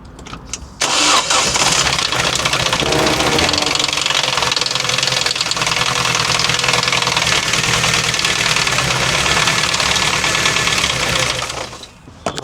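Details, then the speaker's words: Ford Transit Connect van during misfire repair, temporary mis-gapped test spark plugs fitted: engine runs harsh and clattery with an irregular knock; owner suspects a bit of spark plug ceramic left in cylinder 2. "No, that didn't sound good. Why? Why did that sound so terrible?"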